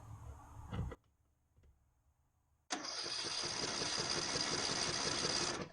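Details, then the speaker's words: Neglected Ariens 42" riding mower, 17.5 hp Briggs & Stratton, Nikki carburetor, with fresh fuel, new fuel filter and good fuel flow: it cranks, sputters, then runs ragged. It only runs smoothly at certain throttle positions. "Only seems to run smoothly at certain throttle positions. I'm not quite sure what's up with it."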